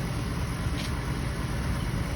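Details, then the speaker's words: Project T-Code after radiator replacement, cooling system burped: even low idle rumble with no surging, knocking or belt squeal; hops around less than before; normal idle. "So now we got the engine running. Notice it doesn't hop around as much anymore. That's kind of interesting."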